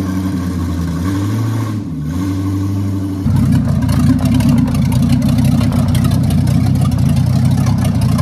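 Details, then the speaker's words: 1967 Chevy 4x4-converted van, V8 with brand-new bolted-on carburetor untuned, timing set by ear, warming up: blips and falls back, then settles into a deep even rumble with no knocks or misses; normal, healthy running. "she sounds good yeah that's a that's a good sign that's a success good sign"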